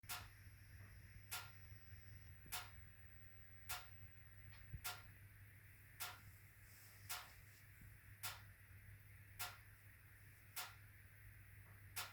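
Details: HWAM Wiking Mini 2 wood stove, during the burn: sharp, evenly spaced ticks about once a second over a quiet hum, ticking and banging for about 45 minutes; owner suspects the bimetallic coil spring hitting a mechanical stop.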